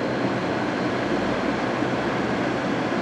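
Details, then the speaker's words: 2002 GE AJCS10ACAM1 9,900 BTU 115 V air conditioner, 14 years old, dirty coils, in a garage: steady, even whoosh and smooth motor hum on high fan while cooling, running normally. "damn. That's real nice."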